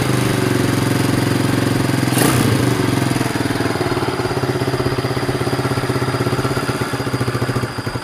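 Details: Honda Sonic single-cylinder motorcycle after fitting a replacement carburetor and tuning for hard starting and poor acceleration, with fairly low compression: steady firing beat, brief rev, then idle; normal running.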